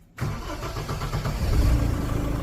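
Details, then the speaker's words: 2006 Tata Safari Dicor 3-litre diesel after replacing the failed starter motor bendix: short, clean crank, catches at once and settles to steady idle, no grinding or whirring; normal starter cranking. "ഇതാണ് ഇപ്പോഴത്തെ starting ഇപ് സൗണ്ടോ കാര്യങ്ങള ഒന്നുമില്ല"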